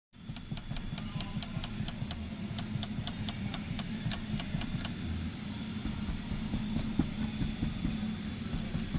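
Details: Light, quick tapping rattles in bursts from the ceiling/headliner area over steady road rumble while the car is driving; something loose up top.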